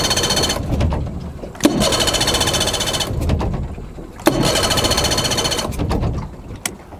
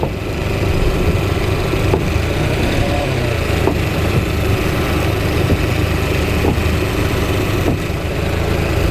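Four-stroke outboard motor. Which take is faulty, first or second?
first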